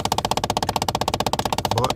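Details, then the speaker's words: 2011 Kia Optima 2.0 Turbo, AC on with recirculation mode selected: the HVAC recirculation blend door actuator knocks with rapid, steady, even clicks, about fourteen a second, in a quiet cabin; actuator to be replaced. "this thing is is making a a a noise when uh I put when I turn on the AC and I put the recirculation mode like this one right here"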